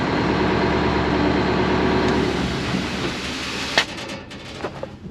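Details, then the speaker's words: Old water truck, not run in 27 years, shutoff test: steady diesel clatter runs evenly, then fuel cuts and engine spools down and stops cleanly; shutoff works as it should. "let's go ahead and do the shutoff and see if it actually works"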